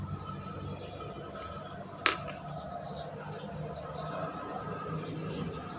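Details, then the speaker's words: Indoor home air-conditioner fan motor after bearing repair for rough growling noise: quiet steady hum with faint even tone and one stray click, no rumble or wobble; runs smooth. "nah sekarang untuk suaranya ini udah tidak ada udah halus dariarannya juga udah berbeda tidak goyang seperti tadi"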